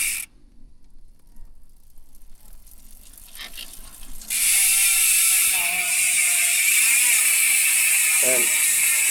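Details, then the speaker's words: Speed 1 Soldier MTB rear hub, 6-pawl freehub body, sealed bearings, on Sagbit Evo 3 rims, 2020 Mountainpeak Everest: rapid even ratchet buzz slowing as wheel coasts freewheeling; healthy pawl engagement, no grinding, normal freehub clicking. "O, yan yung tunog ng Speed 1 Soldier MTB hubs kapag naka-free wheel."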